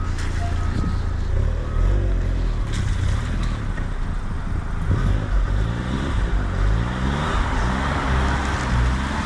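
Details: Suzuki Cappuccino kei car on a test drive after vacuum line replacement: even engine drone under road and wind noise, pulling steadily with no stumble or hiccup; hesitation appears fixed.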